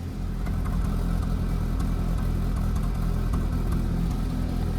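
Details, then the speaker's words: 2005 Honda Civic 1.7L, 189,000 miles, sat two years, stale fuel, cold: low uneven idle with occasional stumble, like one cylinder missing now and then; rough idle, cause unconfirmed, stalls when throttle applied. "yeah sounds like it's missing on a cylinder every once in a while all right so it's still running a little little rough"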